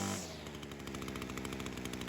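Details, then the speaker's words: Ryobi two-stroke trimmer after head gasket air leak fix, carb low-speed jet set slightly rich and idle speed adjusted: even, rapid putter with steady firing pulses, no hunting or surging; smooth, consistent idle. "That's a really consistent idle right there, so that's something you're aiming for."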